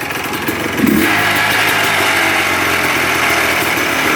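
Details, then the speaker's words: 1990 Yamaha Blaster 200 two-stroke quad after air screw adjustment: throttle blip, then revs stay high and ragged, slow to settle to idle; owner suspects an air leak, possibly a bad left crank seal, unconfirmed. "See how that idle takes a long time to come back down?"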